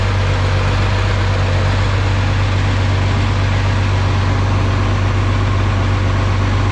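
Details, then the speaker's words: Oliver 2050 tractor idling after an oil change, run to fill the oil filters. Low, steady chug at about four beats a second, even and unbroken with no knocking. Normal idle. "So I'm gonna fire it up and just to get the oil, you know, filters and everything filled."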